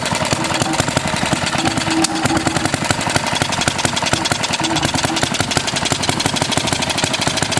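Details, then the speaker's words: 1936 Briggs & Stratton WM washing-machine engine, first start before electronic ignition upgrade: rapid single-cylinder popping with skipped, uneven beats over a sharp exhaust bark; running but missing, owner suspects the points. "that running kind of missing that might be because of the points"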